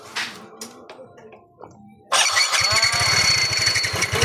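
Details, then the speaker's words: Yamaha Mio Soul 125 scooter that runs but won't move, earlier given a new ECU: after some clatter it fires and idles with quick, even pulses while the wheel stays still; the CVT drive face threads/splines are stripped, needs a new drive face. "Umiikot pero ayaw tumakbo. Ayun ang problema mga bro. Nauubos na oh."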